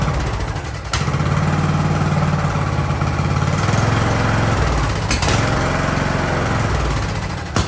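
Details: Ariens hydrostatic-drive riding mower, sat at least two years, in neutral at about 30 degrees: small single-cylinder engine settles into a steady, even low putter after the start, no stumbling or dying; normal idle.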